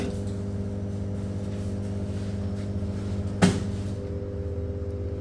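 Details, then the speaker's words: LG top-loading washing machine on spin cycle, pulsator turns but drum won't spin: steady low droning hum with tonal buzz and one loud clunk; faulty drain motor, replacing it fixed the problem. "but this is the problem the huge noise coming from the machine but uh in our field technician should know what is this sound this is actually coming from the drain"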